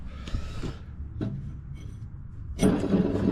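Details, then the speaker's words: John Deere D110 mower deck, spindle spun by hand: rough, gritty grinding whirr that dies off quickly, visible wiggle in the spindle — worn spindle bearing; the other spindle's bearings are also bad. "boy listen to that golly you can see it wiggle wiggle and the bearings in this one over here too I mean I bet this thing sounds like a rock Crusher"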